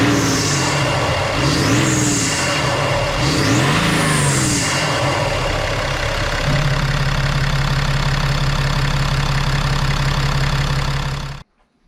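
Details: BMW X5 N57 3.0L diesel being checked for rising oil level from leaking injectors; reassembled and started without bleeding: catches, revs up and down a couple of times, settles to a smooth, steady idle, then shuts off; normal start.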